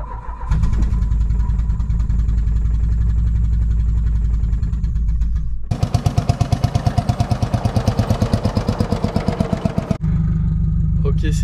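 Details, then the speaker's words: 1986 Renault Espace engine: after reconnecting two forgotten brake-booster hoses that caused a big air leak and very lean running, it settles into a smooth, even idle with a steady low beat and no stumbling. Idle nearly perfect. "bon ça tourne beaucoup mieux maintenant un peu l'entendre ralenti il est quasi parfait"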